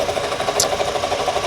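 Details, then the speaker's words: 2007 Toyota Camry, 265,000 miles, close to engine at idle: fast, even ticking whir over idle, steady rhythm from front accessories; owner suspects failing water pump bearings, not confirmed — engine bay whirring and ticking noise. "It sounds like, the only thing I can point to, it sounds like the water pump is gone. Like the water pump is going, probably the bearings in the water pump is going."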